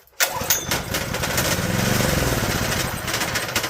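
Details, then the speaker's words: Second Honda GX160 junkyard engine with a gummy, oil-soaked carburetor, gas poured in, choke on and full throttle: one pull gives a rough, ragged sputter that fades with heavy smoke. The cylinder is likely filled with oil, and the owner suspects the carburetor is ruined. "Oh, that was a lot of smoke. That piston's gonna be filled with oil."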